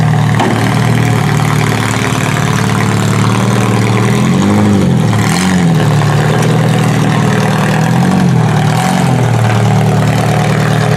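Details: Toyota Solara demolition derby car: steady, even low engine beat with smooth throttle blips, no knocks or misses; normal running.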